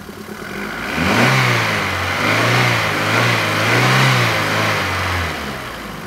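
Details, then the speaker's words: Renault Twingo petrol engine, restarted after reassembly to fix low compression in cylinder 4 that had caused rough three-cylinder idle: steady, healthy idle with no ticking. The check-engine light is still on while the engine warms toward closed loop. "oh ça c'est normal et ben un beau petit ralenti"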